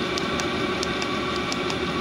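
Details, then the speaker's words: Chinese diesel air heater (Webasto-style), first start with a silencer fitted, running 20 minutes at setting 5.5 (full power) and heating strongly: a steady fan roar with faint fuel-pump ticking about four a second; quieter than the older units; normal operation. "alors par contre ça chauffe vraiment fort et je l'ai mis à 5 5 donc là il est vraiment en pleine puissance"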